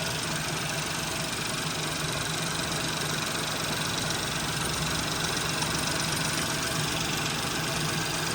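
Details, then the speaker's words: Warm 2017 Ford Focus 1.0L EcoBoost three-cylinder with a 6-speed manual: a steady but uneven, throbbing idle with shake and no clear knock. All cylinders fire fine when each is pulled one at a time; the owner wonders if the rocking is normal for a three-cylinder. Rough idle, cause unclear. "But this thing is definitely rocking back and forth a bit. I don't know if you can see it on the phone, but I don't know. Maybe that's normal for a 3-cylinder."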